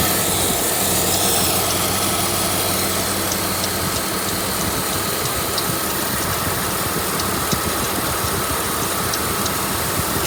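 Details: 1996 Dodge Grand Caravan engine with a rough, uneven idle and a constant airy hiss riding over it; a large intake leak.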